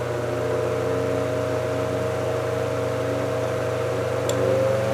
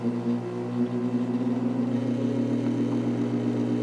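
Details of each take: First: 1949 GE Vortalex 12-inch desk fan after repair, run from low up to speed three: smooth steady motor hum with a faint whir rising as speed steps up. The coil buzz and blade wobble are gone; only slight vibration remains. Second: 1949 GE Vortalex 12-inch desk fan at high speed: steady hum with fine buzz riding on the drone, worse once warm; motor buzz attributed to loose stator windings moving.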